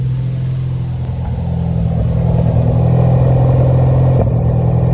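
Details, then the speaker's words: 2014 Ford Focus ST 2.0L EcoBoost at cold-start idle: uneven stumbling pulse with soft pops at the exhaust from misfires on cylinders 2 and 4 (1 and 3 fine). "Hear those pops like that? That's that misfiring. You don't even need a scan tool."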